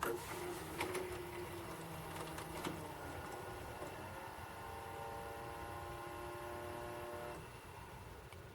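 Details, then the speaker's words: Hauled VCR after an awful squeak at first, now playing tape: thin whirring motor with clicks and wavering pitch; laboured transport, suspected tired belt, possibly needing grease or exercise. "sounds like a tired belt oh it is playing it looks like yeah it's playing"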